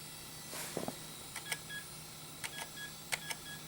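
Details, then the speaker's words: Dell Precision 340 (Pentium 4) optical drive trying to boot a damaged disc: scattered faint clicks and short ticks over a low hum as it keeps seeking without a steady spin; the drive may be failing, possibly dirt, not confirmed. "okay well it sounds like dirt but it was at least for a second there trying to work I don't know if this optical drive is functioning really kind of doubt it to be honest with you"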